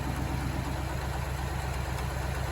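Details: 1977 Jeep CJ5 rescued non-running, after carburetor work: steady even low rumble, no knocks or misses; runs smoothly, though owner thinks an exhaust leak may remain despite a new gasket.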